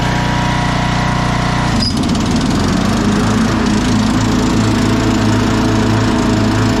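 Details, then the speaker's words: 2001 Cub Cadet 1170 lawn tractor driving: engine bogs as load comes on, then uneven metallic clanking from the transmission over the drone, felt in the pedal; blown gear in the transmission, per shop owner. "you can feel some things in the pedal you can hear some metallic clanking going on in the trans"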